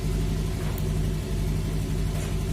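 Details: Honda Vario 110 LED CBS ISS scooter running with a steady low rumble, even beat and no knocks while charging voltage is checked (about 14 V, 15 V max); the starter's tek-tek no-start fault was a weak battery.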